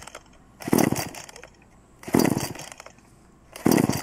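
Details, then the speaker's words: Two-stroke chainsaw being pull-started on choke: three separate pull-start rasps, each dying away with no catch; no fire, so no fuel in the cylinder yet; cranking without firing. "the sound it makes my hair's what it sounds like when there's no fire so there's no fuel in the cylinder"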